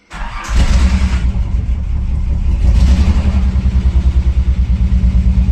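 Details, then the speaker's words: Vintage sports car cold start: petrol engine cranks briefly, catches with a little throttle, then settles into a lumpy, uneven idle with an irregular pulse from a misfire; still drivable. "So it does still idle. It's just a little iffy because of the misfire."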